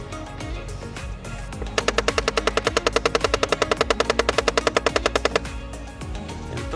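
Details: Nissan Frontier on key-on: rapid, even ratcheting click behind the dash from an air-system door actuator whose motor keeps driving after the door seats; proper fix is replacing that door motor.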